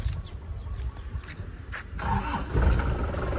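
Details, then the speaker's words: 2003 Isuzu Panther LS diesel, engine bay dry with no oil leaks: brief uneven cranking, catches on the first try within about two seconds and settles into a steady, solid rumble; normal quick diesel start. "Ya, sekali starter langsung cegreng, ya. Ini mesinnya, Lur. Alhamdah, mesinnya masih stabil dan suaranya renyah kas penter ya."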